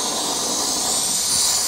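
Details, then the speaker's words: LighTake windscreen gas stove about two minutes into a boil: steady high roaring hiss with swells, burner surging; user suspects too hot underneath, valve opened too much, or insufficient air mixture. "getting close I hear the stove it keeps surging like it's getting too hot under there or something or the the air mixture ain't enough or something"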